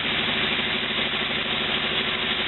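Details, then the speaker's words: 1949 Willys replacement used engine, recently freed of rusted-shut valves, old spark plugs, low-volume electric fuel pump; smooth, even idle with steady low pulse, no ticking or knocking; valves seem to be holding, running pretty good. "I think it sounds like it's running pretty good"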